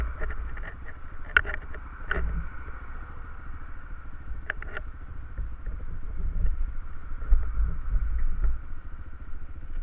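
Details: Quad engine: low, chugging single-cylinder idle with irregular clattery ticks and an uneven beat; something is noisy, cause unclear.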